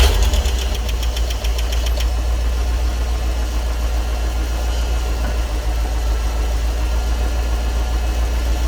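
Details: EFI Ford 460 V8 tow truck, first start after swapping the factory 2G alternator for a higher-output 3G: a deep steady idle with an even low rumble after a brief start-up clatter, no knocks or misses; the alternator works.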